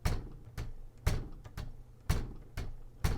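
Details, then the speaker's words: 1958 Olympia SM-3 manual typewriter with carriage shift: the whole carriage moves with heavy, deep ker-chunk thuds about twice a second, clunky enough to vibrate the table; this is normal for the mechanism. "You can probably hear how clunky that is. Do you hear how the whole table vibrates?"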